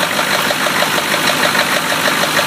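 A quick, regular light knock ticks steadily over a harsh, raspy idle, about ten per second; it sounds like a bottom-end knock. Cause suspected, not confirmed.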